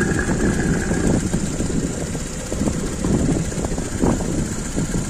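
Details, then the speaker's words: Normal valvetrain and oil noise heard at idle through the open oil filler cap: busy, even chatter and sloshing as the camshaft turns submerged in oil. The foam and water drops found in the filler cap are normal condensation from cold, humid weather. "وبالنسبه للصوت اللي تسمع فيه هذاك صوت دوران الزيت الكام يعوم في الزيت وقت يدور الزيت"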